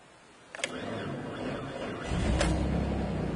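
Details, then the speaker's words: 2004 Suzuki Grand Vitara plow rig, after no crank no start fixed by whacking starter motor with breaker bar: brief cranking with a couple of clicks, catches at about two seconds, settles into steady even run. "and she starts excellent so there you have it i had the start motor problem after all and a few whacks of a breaker bar and it well it fixed it"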